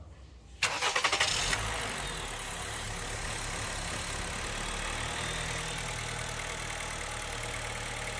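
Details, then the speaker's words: Honda Fit after throttle body service, fresh brake fluid and cleared codes: short crank, catches cleanly into a steady, even idle; the noise heard at ignition is gone, with throttle adjustment and road test still to follow. "já parou barulho correcto agora vamos fazer o ajuste de quanto de borboletas"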